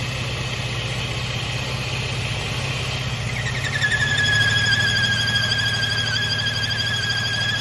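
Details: Mercedes M276 engine (2011-2015 E350/C350/ML350/GLK350), warm, car went into limp mode: steady idle with high thin whine swelling in and holding, goes away with oil cap removed, worse when warm; PCV valve fault.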